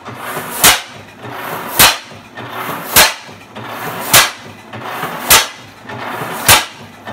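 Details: 1913 Fairbanks Morse 12 hp NB engine, torn down since 1976 and restored, running on its first start in 42 years: sharp, even exhaust bangs about 51 a minute with quiet between, steady and regular. Normal running.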